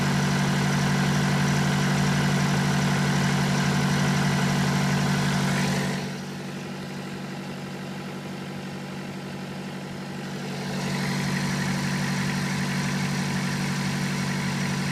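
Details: BMW 118d E87 phase 2, late 2008, 120,000 km, diesel idle: steady even beat with faint metallic chatter on top; owner suspects the known series fault, a chain or metal noise, not confirmed; metallic rattle at idle.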